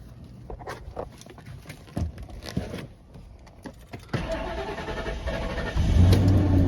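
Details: 1998 Ford Expedition, sat about a year with new battery: cranks and catches at once on starting fluid and revs, though gauge reads full; no fuel reaching it. After adding 4.5 gallons the gauge dropped, so it was simply out of gas.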